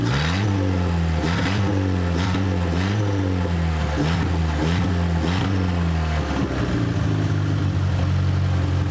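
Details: 1989 Proton Saga Magma 8v after engine overhaul (new conrod and crankshaft bearings), first start with open exhaust, no silencer: loud raw blare climbing and dropping with throttle blips, drag-car sound; to be adjusted after exhaust is made.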